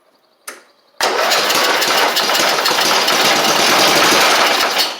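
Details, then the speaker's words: Briggs single-cylinder on Eagle Star Noma rider, started on starting fluid: harsh rattly run with hard pulses; internal knock, crankshaft slop, engine suspected run low on oil and blown. "Oh, she's a knocker. You can hear it. You can definitely hear it."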